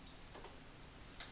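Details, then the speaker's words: Motorcycle converted to 12V, ignition switched on by two taps of the X21 Type-M control hub button: one crisp little click in quiet background as the ignition relay arms normally, ready to start. "hear the ignition arm, so this thing's ready to start."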